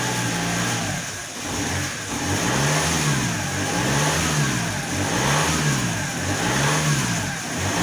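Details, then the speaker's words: Alfa Romeo 156 1.9 JTD common-rail diesel, after a crank-no-start with injection system opened: starts well but revs swing up and down about every second and a half, no steady idle, strong exhaust smell. "okay it did start very well but the car has no idle and that that has that fluctuation and it smells a lot by the exhaust"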